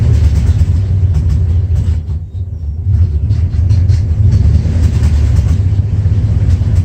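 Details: 1994 Dodge Ram 5.9L V8 with codes 37 and 51, rough idle and backfiring: deep, uneven idle that sags and surges around two seconds; the cause was the crankshaft position sensor, and replacing it fixed the problem.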